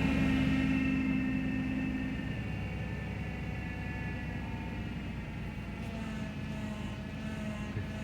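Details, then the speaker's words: 2000 Ford Taurus wagon, remanufactured power steering pump at idle: steady droning whine holding pitch, stronger at first; pump failing, engine possibly running rich. "the power steering unit still makes noise it sounds like it's actually dying listen to it hear that that's not the engine that's the power steering unit"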